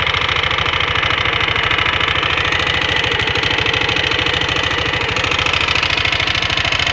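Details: Leo 250 scooter idling: fast fairly regular tapping over busy high-pitched mechanical clatter; strange noise, cause not evident.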